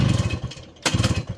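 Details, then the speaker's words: 1981 Yamaha YT-125 two-stroke, primed and pulled, leaking oil badly with seals due for replacement: a brief uneven burst of firing that fades, catches once more, then stumbles. It won't stay idling; cause suspected, not confirmed. "Alright folks, prime the system up, give it a few pulls, and she fired up. She just doesn't want to stay idling, so I'm probably going to get the girlfriend to hold the camera for me while I fire it up for you guys"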